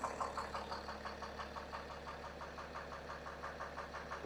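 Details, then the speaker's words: BMW 430d diesel, started for the first time in a while: light, steady knock several times a second under the diesel rattle at idle. Rod knock; teardown found a failed cylinder 3 rod journal and bearings, which had overheated. "It didn't sound that bad. Let's try again. Let's try again. Oh, there you go. Yeah. Oh, it's definitely knocking."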